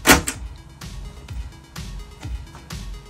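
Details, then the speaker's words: Mac Plus 800K floppy drive after service and replacement gear kit, booted to System 7.1: clean thunk as the disk loads, then short, even head-stepping clicks and a light whir; the drive reads normally. "reading it so that's good so that means we got it back together good"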